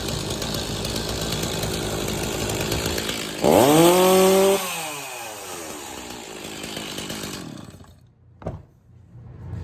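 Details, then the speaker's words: Stihl MS260 chainsaw that ran rough and stalled after being pinched in a tree, now running after the popped-off pulse line was refitted: revs cleanly to a steady high whine, drops back smoothly, no stumbling; normal running. "So there you go, the chainsaw's running absolutely good again. It's a very simple thing, but that pulse line popping off, it will not run properly."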